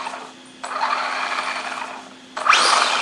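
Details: Losi SCT RC truck after new motor install, on a 2S 5200 mAh 35C battery: two short bursts of high whirring as the motor spins up forward over a faint hum, running normally.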